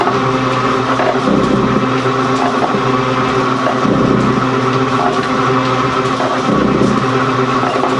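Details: Gould & Eberhardt 24-inch heavy duty shaper (1912 patent date; owner guesses 1912–1930), just shifted into high speed with the larger pinion engaged, first high-speed run. Loud roar swelling every couple of seconds as the ram strokes, even and steady: normal running.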